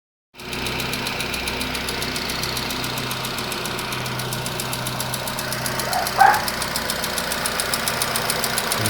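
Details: Nissan Qashqai with HR16 engine at idle: a quick, even ticking knock keeps the same pace, source not pinned down. Two engine flushes and an oil change did not help; cause unconfirmed.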